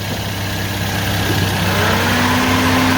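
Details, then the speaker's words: 2007 Toyota Yaris after radiator cooling fan motor replacement and antifreeze refill, fan on at idle: smooth, even whoosh with a faint low hum, no rattle or grind, much quieter than before; fan running healthy. "Holy crap, that fan is on. I had no idea. That's way quieter."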